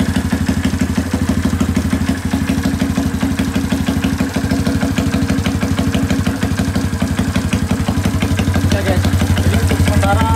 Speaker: guys jadi UN motor ini udah berhasil hiup jadi seperti inilah suaranya dia